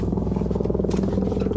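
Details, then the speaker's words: 6.0 pickup under way, driveshaft center support bearing with its rubber housing busted up, grinding: rough pulsing drone with gritty rumble, heavy under acceleration and braking, absent when coasting; owner suspects bearing is shot, replacement planned. "some people call it the center bearing, is housed in rubber, and he said that the rubber was all busted up around the drive shaft, and now is grinding."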